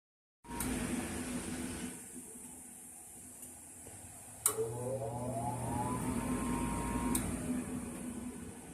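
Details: Furnace making this noise instead of turning on: steady low hum, then a click and a rising held tone, but the burner never lights; cause unclear; abnormal noise, fails to start.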